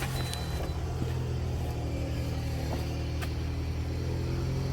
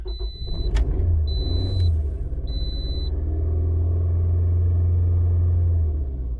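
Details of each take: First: Toyota with 173,370 miles, towed in after no-start misdiagnosed as fuel pump, check engine light on: just after starting, engine runs low and uneven with lumpy rumble, no misfire pops, typical of flooding; not the fuel pump. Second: What we're going to do is we're going to start it up first, and like I said, this thing will be partially flooded. That's normal.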